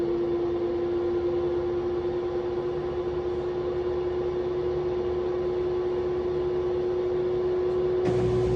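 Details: Washing machine after worn drum bearings causing a loud spin noise were replaced with full drum disassembly: even steady hum with a smooth tone through the spin, no rumble or grinding; bearings now healthy.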